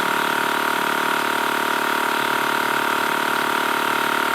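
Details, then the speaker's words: TACKLIFE M1 portable tire inflator on a car tire, targeting 35 psi: a steady buzzing pump drone with an airy hiss underneath. Air is leaking at the hose valve chuck, and the tire loses more air than is pumped in. "all right and already you guys can hear the hissing it is definitely letting air out"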